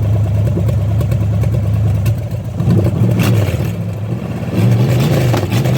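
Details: Chevy small-block 305 V8 running without coolant: deep V8 rumble swinging up and down through repeated blips, even firing with no knocks or misses; normal revving.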